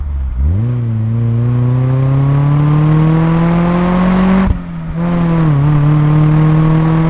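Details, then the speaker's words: Mazda Miata with Flyin' Miata exhaust, mic on the exhaust, accelerating onto a highway: smooth, deep note climbing steadily through the gears with a brief lift at the shift; clean and even, no rasp or rattle. "Muffler and finally here's how it sounds with a pull onto a highway with the exhaust miked"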